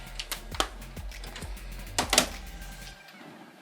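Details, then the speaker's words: Original Xbox after replacing a faulty disc drive with a working one: soft whirring spin-up with quick laser-sled clicks and ticks, then it settles quiet, reading the game disc normally with no errors. "Reading the disc, and it's reading the disc. Awesome. All right. So yeah, it's a sign that we're not having any problems or anything, and the game should pop up."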